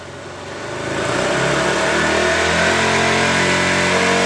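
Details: KTM Duke single with a Low Battery fault, revved from a 1,500 rpm idle while checking charging voltage: climbs smoothly to a steady high rev, even firing, no knocks; charging normal.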